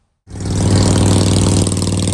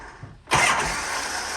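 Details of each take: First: Shovelhead chopper with S&S Super E carb after re-jetting and new throttle and idle cables: deep steady lopey V-twin idle, even beat, no misses or rattles; running well, starter drive still occasionally skipping. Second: Shovelhead chopper with S&S Super E carb after re-jetting and new throttle and idle cables, in neutral with enricher on: starter spins steadily but never catches; hard start, cause not found.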